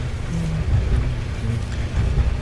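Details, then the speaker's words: Kenmore electric dryer on 220 V after replacing a blown hi-limit thermal fuse and clearing the clogged vent duct: low, even tumbling rumble with steady motor hum, no squeal or scrape, element heating again. Normal running. "So we turn it on. We've got some nice action here. Nice heating of the element, the spring coils. So we are back in business."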